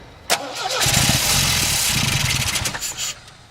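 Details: Old Ford with the clutch in, after whacking the mechanical fuel pump so fuel reaches the filter: starter spins the engine for about three seconds with an even whirring chug but it never fires. Cranks, no start; choke not found.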